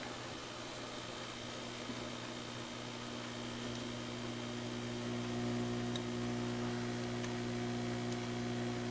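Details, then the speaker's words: Emerson 8CW-334-2 (possibly model 336) radio on an isolation transformer at 117 V with nothing connected: a loud, steady mains hum with faint ticks while drawing about 1.3 A. The transformer draws excessive no-load current. "isolation transformers on your listen to this thing hum like a banshee and we watched the ant meter"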